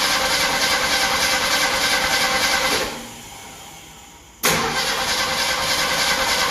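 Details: Ford inline six in Willys sedan delivery, first start 15 years after install, carburetor rebuilt 20 years ago, electric choke had been stuck and cleaned: steady cranking, pause, more cranking, never catches; choke found closed, to be readjusted.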